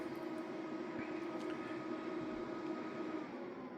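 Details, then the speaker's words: Original EcoFlow Delta Pro plugged into a switching mode power supply fed by a 2025 Kia EV6 GT Line vehicle-to-load: steady whirring cooling fan kicks on, constant mid-pitched tone, no rattle; normal but noisy fan. "All right, you can hear the fan kicking on. The original Delta Pro has a very noisy fan."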